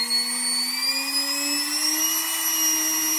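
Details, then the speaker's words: Homemade steam-raising blower fan fitted on a small boiler chimney, voltage varied from 2.5 V upward: clean, smooth whine climbing slowly in pitch with no rattle or grind; running normally. "we can change the speed of the fan it's operating down at 2.5 volts and it'll operate"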